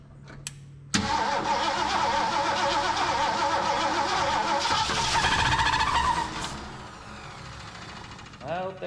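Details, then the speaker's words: Long-parked old carbureted engine with points, primed with gas down the carb: runs rough with a quick irregular tick, three or four per second, over idle; owner hopes belt, fears main bearing, suspects old gas pumping through. "hope that's a belt it's probably pumping some of that old gas down in there too"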